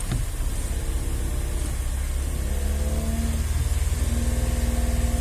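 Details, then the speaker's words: 2019 Volkswagen Up TSI, 50,000 km, two months after an original VW clutch kit with actuator was fitted: faint whirring resonance over steady rumble at about 3000 rpm only with clutch pedal pressed; owner suspects actuator/fork resonance. "mas se eu acelerar 3000 giro com o pedal da embreagem pressionado ó eu sinto bastante esse barulho ó"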